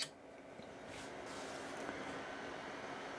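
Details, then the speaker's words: IBM PS/2 Model 30 286 power supply 12 V fan, cleaned and powered directly from 12 V, drawing about 90 mA; soft, even whir with faint low hum and no ticking or grinding, fan running quietly and healthily. "and as you can hear it's fairly quiet and it's only drawing around uh 90 milliamp which indicates it should be fine which is good"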